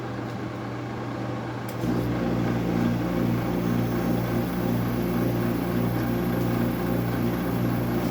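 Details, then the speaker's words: Refrigeration unit (idle draw 0.01 A, 1.2 W, power factor 0.80, fluctuating) starts partway into a loud, steady low hum with slow pulsing throb; very noisy running, fan motor suspected, cause not confirmed. "Well, it sounds like it has freon in it. It's very loud as these are. These things are so so noisy."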